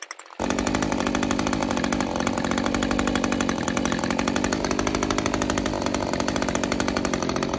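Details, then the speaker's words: Older Echo string trimmer two-stroke with new HiPA replacement carburetor, full throttle while tuning high-speed screw: buzz climbs then sags as screw turned in too far, too lean; backing it off restores rpm. "i went a little bit passed and tightened it in a little bit too far the rpm started to come down"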